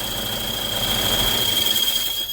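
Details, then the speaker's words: 2009 Toyota Innova, loud steady high-pitched squeal from the gearbox from starting over a quiet engine; clutch release bearing worn out from lack of grease, balls broken up; gearbox must come off to replace it. "ഭയങ്കരമായിട്ടുള്ള noise ആണ് ഈ ഒരു വാഹനത്തിന് ഉണ്ടായത് നമുക്ക് ഇതിന്റെ gear box ഇളക്കിയാല നമുക്ക് ഇതിന്റെ റിലീസ് ബെയറിങ് മാറാൻ കഴിയത്തുള്ളൂ റിലീസ് ബെയറിങ്ങിന് ഗ്രീസിന്റെ അംശം കുറഞ്ഞിട്ടാണ് ഈ ഒരു ബെയറിങ് നോയ്സ് ഉണ്ടാവാൻ കാരണം"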